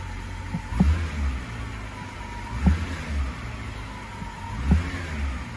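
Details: 2011 BMW X5 35i E70 N55, 109,000 mi, warm engine at idle after fuel injector replacement for P0306 cylinder 6 misfire: low, even idle with a soft thump about every two seconds, no stumble or surge. Rough, surging idle eliminated.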